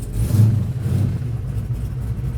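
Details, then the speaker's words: LS-swapped Camaro, long sitting and dusty, cold start with oil pressure reaching 40: a deep, uneven rumble surges and sags in the first second, then settles. The cold V8 struggles to hold idle before warming. "Uh I'm going to let this thing sit here and warm up for a minute. Get the fluids going in it."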